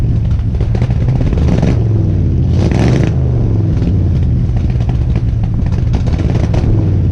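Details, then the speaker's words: 1970 Ford F100 V8 after carburetor rebuild and new spark plugs, having sat for a while: deep, steady rumble with even firing and no knocks or misses, runs well now though smoking a lot; new rings hoped for. "She sounds good and runs really good now."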